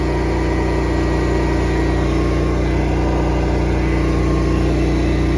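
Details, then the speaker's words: Honda EB11000 generator on propane with a 34 amp load applied: steady, even mid-pitched drone at constant speed with no surging or hunting, holding its note well under heavy load. Normal running. "to listen for how little change there is in the sound of this generator when you you slap a 34 uh amp load on this thing, a 240 BKW."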